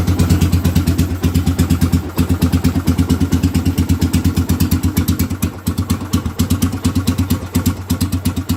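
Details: 2007 Suzuki GZ250 after fixing no-crank fault (orange kill-switch wire partly cut near chain, bridged): even, strong low thumping near three beats a second with small dips, no knocks or grinding; healthy idle.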